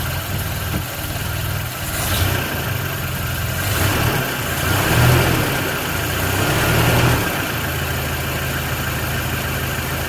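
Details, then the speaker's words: Toyota Hilux 2WD petrol engine idling after fixing exhaust manifold leak at block-off plate (loose and missing nuts): steady smooth low rumble, no ticking or puffing; exhaust now sealed and quiet. "Look at that. Quiet like a sewing machine."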